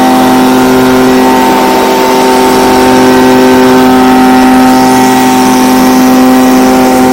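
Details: Stihl BG55 blower, a no-start with a torn carb diaphragm, now on a new replacement carburetor (part C1Q-S68G): a steady, high, even two-stroke scream holds without surging or stumbling as it runs cleanly at full throttle.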